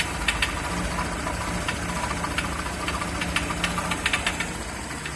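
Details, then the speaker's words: Honda PCX150 scooter with engine noise and lack of power: uneven sharp knocking, about three a second, over a rough idle, sounding like rod knock; cause is a clogged, loose-insided catalytic converter in the exhaust, to be confirmed with a compression transducer test. "aí a pcx aí o nescau reclamando está fazendo barulho está fazendo barulho no motor"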